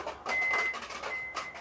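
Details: Toyota Fortuner (2015-2024, 2.4/2.8) after new OEM plug-in electric tailgate struts replaced the faulty originals, which stuck and were noisy: a smooth, steady motor whir as the tailgate powers shut, with no grinding or straining. Normal power tailgate operation.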